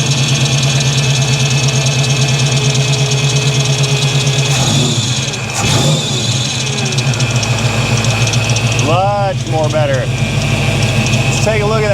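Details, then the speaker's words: 1983 Chevrolet C10, 350 small block V8 with new Holley 4-barrel carburetor: revs cleanly on throttle blips, settles back without stumbling or popping; backfire fixed, running healthy. "all right she's running much more better let's see if it uh see how it shuts down"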